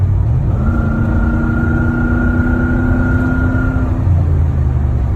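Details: 2003 Ford Expedition 5.4L V8 under hard acceleration or towing a trailer: steady high chirp over the engine pulling hard. It is not pinging. Plugs recently replaced and a restrictive exhaust removed. Cause unidentified. Chirping under acceleration.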